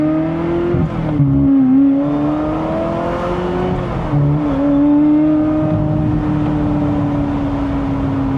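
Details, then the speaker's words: Ferrari 355 V8 during inspection, not yet fully hot: smooth note rising and settling with throttle from idle, no ticks, misses or odd noises; sounds totally normal, not missing. "He says at idle, so let's let it sit for a second. It sounds totally normal."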